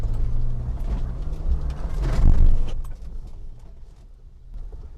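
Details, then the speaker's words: 1995 Mitsubishi Montero V43, 3.0 24-valve, coil-spring rear axle, serviced and just inspected, driven on unpaved ground around 40 km/h: a steady low engine and tyre rumble with no suspension knocks or rattles, so the chassis is free of rattles. "我选择从这边上去了，一点异响都没有。"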